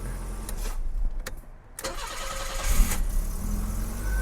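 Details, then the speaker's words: 1984 BMW 318i E30, after sitting four years and given a new battery, catches after a brief crank and settles into a low, even idle with no misses or stumbles; the battery fixed the idle. "yes Epic let's look at this thing oh she is purring like a kitten folks this is such a cool car we scored it's a runner and a driver"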